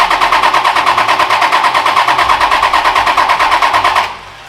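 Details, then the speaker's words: Freshly built Toyota 1HD-T turbo diesel in an 80 Series, first start with the fuel shutoff solenoid left off to prime oil pressure: even starter cranking about three strokes a second, turning over normally without firing; oil pressure building. "we've left off the diesel shutoff solenoid so it's technically shouldn't get diesel into the pump to start it so it's gonna crank"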